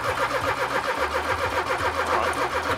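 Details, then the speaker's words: Porsche 924 left in a field about 18–20 years, bonnet cut open: brisk, even cranking with strong steady starter whirr, turns over much better now but never catches; starter works, fuel settings suspected tampered. "oh that turns over so much better now we can start taking a look at the reasons it might not be running"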